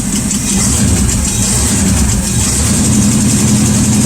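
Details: Rat rod engine at idle, running a while: a light, quick tick about three or four times a second over a steady idle. The tick was traced to a bent pushrod, found by removing the valve cover for inspection.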